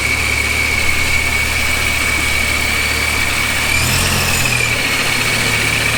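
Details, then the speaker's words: Dodge Viper V10 with newly installed supercharger, first start-up: deep steady idle with constant high blower whine, smooth and even, no knocks; healthy. "so uh the viper turned on as you guys saw and uh it sounds good everything's running smooth until it wasn't"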